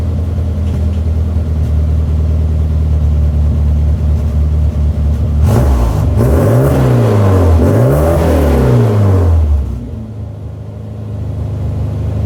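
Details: Mini after replacing disintegrated rubber vacuum elbows on MAP sensor and air bypass sensor that caused limp mode: smooth steady idle and clean revs rising and falling evenly, healthy.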